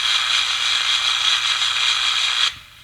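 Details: 10-transistor solid-state Transette radio receiver under repair; bridging a suspect low or open capacitor in the audio stage brings a loud, steady hiss and static from the speaker until it suddenly drops away. The audio stage then drives strong output.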